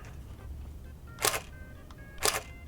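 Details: Nikon D80 after repair of shutter not firing with Err message: two crisp, even shutter clicks about a second apart; shutter now fires normally, no error.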